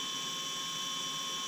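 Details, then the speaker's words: Spindle of a Precision Matthews PM25-MV bench mill, new out of the box before CNC conversion, powered up after releasing the e-stop; steady high even whir, no grinding or rumble; spindle bearings sound good. "Bearings sound good in the spindle. Motor's a little is probably adequate, but we'll get to that later on."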